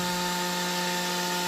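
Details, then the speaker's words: Customer-returned Grundfos SQ 3" submersible well pump (SQ190/SQ200) in a test tank at 60 PSI, delivering 8.5 gallons per minute. Smooth, even electric hum with no knocks or rattles; normal running. "let's see we're at 60 PSI right now typical operating pressure and we're still at 8 1/2 gallons per minute"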